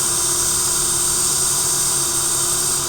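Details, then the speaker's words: fischertechnik hydraulics model pump motor after running some time: steady hum over high hissing whir, motor starts to vibrate at some frequency; stops when pulled back. "Also what I noticed is that this motor starts to hum after some time."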